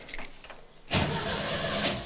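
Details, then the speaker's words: VW Kombi during restoration, first start test after dash install and rewiring with fuel pump connected: brief quiet cranking, then a rough burst as it catches but it never settles into idle; owner suspects a wiring error. "the generator and the fuel but it doesn't stay on so i might have a wiring somewhere there wrong"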